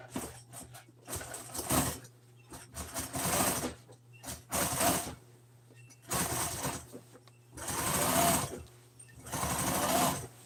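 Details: Sewing machine joining seat-cover pieces for a 1997 Ford F350 seat: bursts of fast, even stitching that start and stop with the work, with a clean rhythm and no knocking or grinding. The machine runs normally.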